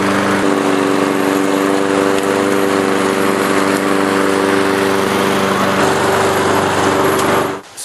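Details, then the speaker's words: Self-propelled Craftsman lawnmower after drive belt and blade adapter replacement: small single-cylinder engine runs at steady even high speed with constant pitch and no misses, then shuts off cleanly; runs good. "as you can see, it runs good."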